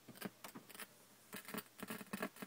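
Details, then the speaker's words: Six-month-old iMac 27-inch quad-core i5 on OS X Lion: large, prolonged crackle and pops from the speakers, like a stylus dropped on a record; speakers replaced first, cause turned out to be a faulty logic board. "it's quite a large crackle there for quite a period of time like I say it just sounds like a record and when you put a stylus down on the record before it starts and this is on my six month old iMac 27-inch quad core i5 running OSX lion there again"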